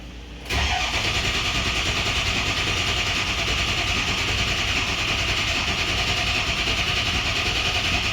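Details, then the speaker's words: Ford 6.0 Powerstroke diesel with lots of air in the high-pressure oil system: starter grinds steadily for several seconds with a bright rattle before firing; cranking with that air in the system. "Alright, so this is going to take a while to crank because we have a ton of air in the high pressure oil system."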